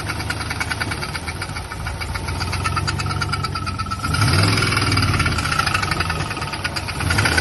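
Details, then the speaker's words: Turbo LS V8 swapped into a Volvo, days after a drag strip run: idle with a sharp regular metallic knock about three per second over the exhaust; owners suspect rod knock, cause unconfirmed. "today i went to home depot to go get some wood to build an archery target and it started knocking real bad"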